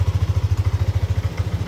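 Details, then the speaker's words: Yamaha Aerox (old model) scooter after replacing faulty CKP crank position sensor and clearing fault code: cold idle at 35 °C, even quick low putter with no misfires or clatter; healthy, regular. "Kita sudah nyala, suhu 35 derajat, masih dingin ya."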